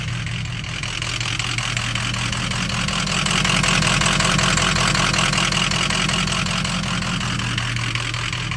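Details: Ford 6.0 Powerstroke diesel at idle: clatter with an uneven, lumpy pulse and slight surging rather than an even beat; rough idle, owner suspects a bad ICP sensor, unconfirmed.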